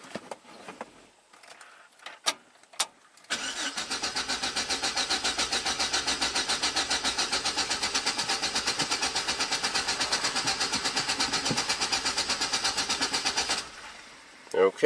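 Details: 2006 GMC Sierra 4.3L V6 RWD, ran rough then died despite new cap, rotor, plugs and wires: even cranking about four beats a second for ten seconds, never fires; no spark from failed ignition control module.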